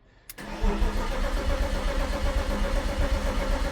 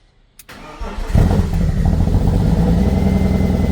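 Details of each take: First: 1998 BMW E36 328i Cabriolet, formerly an abandoned project, first start after priming: brief crank, catches at once, settles into a steady even idle with no knocks or misses; normal start and idle. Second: 1998 BMW E36 328i Cabriolet, abandoned project car, first start after priming: short crank, catches and settles quickly into a steady, even idle; engine starts (upper radiator hose found leaking afterward).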